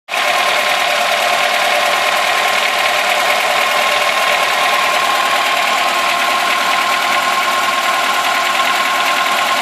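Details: VAZ 2106 engine: fast, even light ticking over steady idle that keeps pace with engine speed; owner suspects valve tapping, source unconfirmed.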